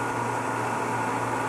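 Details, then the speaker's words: Variable-speed pool pump ramped up to 2750 rpm: a steady loud rushing hiss with a gravelly crackle, like chewing rocks, over the motor hum. The impeller is clear, so this is cavitation. "we're going to ramp it up incremental II start to hear that noise now it sounds like it's tuned on rocks so 2750 we got pretty good cavitation going on"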